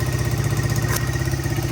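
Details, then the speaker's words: 1985 Honda XR100 single after no-spark fix and carb patch, idling on its own: quick even thump, quiet, no excessive cam chain slap or valve chatter, no smoke, carb not leaking. Normal idle. "Engine's quiet. I don't hear any excessive cam chain slap or anything. The valves aren't chattering. Sounds like your normal XR motor."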